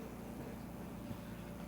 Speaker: what do you got one two point two all right so we got a little bleed on that cord which is you hear the buzzing so that that's cool